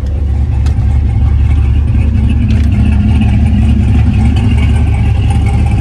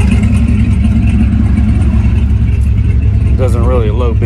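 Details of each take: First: Engine idling with exhaust cutout open, middle tune versus a tune with less over-speed and more under-speed timing (about 3–4° total): deep uneven lumpy idle rising and falling rhythmically; lope set by timing corrections. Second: Engine idling with an open exhaust cutout after timing corrections were reduced to cut idle lope: low, steady burbling idle with even pulses and no stumbles, smoother than before with unchanged fuel consumption.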